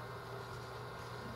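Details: 1994 LT1 Corvette electric water pump, now powered from the former air (smog) pump supply, running at key on: a steady low electric hum with no ticks, rattles or wavering. The pump runs smoothly and normally.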